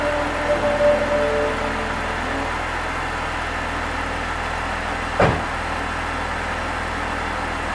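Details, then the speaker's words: BMW E46 3 Series after DISA valve replacement: steady, even idle with no knocks, misses or hunting apart from one brief clatter; DISA flap operates smoothly and quietly when cable removed, working as it should. "good sounds good I'm going to remove the cable just to see what happens perfect perfect everything's working as it should"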